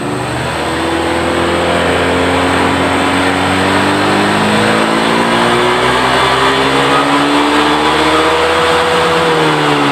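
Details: Honda Vario 125 scooter complaining of power loss, throttle opened slowly from idle: engine note climbs smoothly but lazily; power loss under acceleration.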